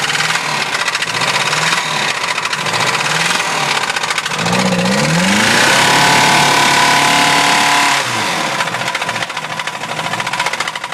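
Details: Mazda B2000 engine revved hard: loud, sharp rod knock at roughly three or four per second, hammering harder with revs; badly knocking rod bearing.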